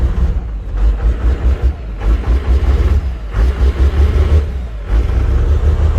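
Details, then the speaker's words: Cummins 6BT 12-valve tow truck at cold idle after piston and head gasket replacement: lumpy, deep uneven throb, no steady beat, heavy smoke; always does this cold, owner suspects a bad delivery valve, unconfirmed. "it's always kind of done that at cold start the little I almost think a delivery valve is bad so let's just let it warm up now and see if it gets any better cuz that's pretty pretty Smoky there"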